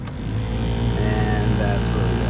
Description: If anything gets into the blower motor it could imbalance it and cause it to hum.